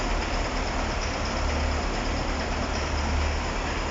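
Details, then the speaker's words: KamAZ-6520 chassis diesel, first start after major overhaul; low, steady idle rumble with an even beat and no knocks or rattles, freshly rebuilt engine running in smoothly. "Сейчас будем производить первый запуск двигателя. Запустили мы двигатель."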